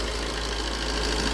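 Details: Maruti Swift engine after a timing chain and camshaft repair, idling with the AC on: steady, even idle with a smooth low rumble and no stumbles or knocks. No white or black smoke, only a slight alternator bearing noise; healthy running.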